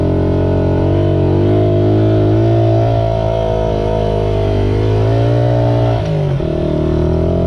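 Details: Restored 1978 Honda XR75, last run around 1989, after a misset adjustment was corrected per the manual: the small single revs smoothly and evenly, pitch rising and easing with the throttle, with no misses or knocks; normal running.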